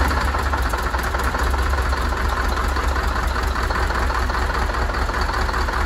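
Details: Freshly rebuilt Scania DC16 PDE 16-litre V8 diesel, 500 hp, from a Scania R500 truck with 1.6 million km, first start after assembly: deep, steady idle with an even low throb, no knocks, misses or rattles; running smooth.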